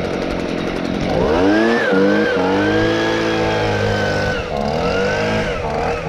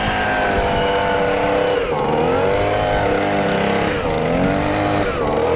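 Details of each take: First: Stihl BG55 handheld leaf blower, two-stroke, with a new aftermarket carburetor and the idle adjusted: crisp buzz revving up and settling back with quick, clean throttle response and no stumbling; running properly. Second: Stihl BG55 handheld leaf blower two-stroke after fitting an aftermarket carburetor, started on choke: high, buzzy drone that sags and recovers every second or two; incorrect idle speed setting, idle screw needs adjusting.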